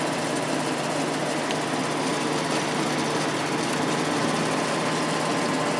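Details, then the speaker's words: Sharp air conditioner fan-only run after oiling the ball-bearing motor with thick oil: constant raspy rattling whir with faint steady tone; the oiled open inside bearing is quieter, but the sealed outside ball bearing is still noisy. "yeah the uh inside bearing is quieter now but that outside one is making a lot of noise"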